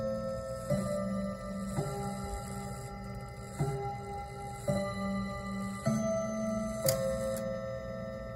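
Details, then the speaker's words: Seth Thomas Westminster chime clock, circa 1980, first test moving hand past 30: clear bell notes about once a second in a descending melody, ringing evenly; healthy Westminster chime. "Wow, it has a really nice chime sound to it."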